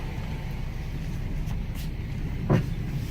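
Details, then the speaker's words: Jeep Compass with 150,000 miles, ABS and traction control lights on, heard while driving: a single hard thump cuts through low road rumble over a bump. A strut is failing and the suspension is about to come apart. "Good lord. Okay. This suspension about to come apart."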